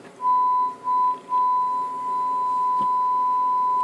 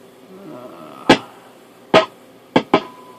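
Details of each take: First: CB radio after replacing two noisy diodes causing static crash: steady pure test tone over quiet background, no crackle from 0.1 microvolt up to 100 millivolt input; receiver audio clean. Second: Telsat SSB 140 CB radio, a customer's working unit, probed at the IF transformer cans with a vintage tube signal tracer: sharp irregular static crashes over a quiet hiss, traced to faulty front-end diodes before the AM/sideband split.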